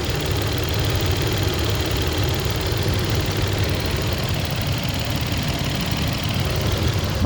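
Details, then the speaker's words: Long-stored low-mileage Supra, first start in years after fuel tank and lines refitted and timing belt already done: petrol engine idles smoothly and evenly, steady low hum, no valve tick, slight whitish exhaust smoke; oil pressure good, alternator charging. "um not crazy i mean car hasn't started since 2002 or i don't even know um but it seems to be running nice and smooth you have to stop yammering for a moment you can hear it"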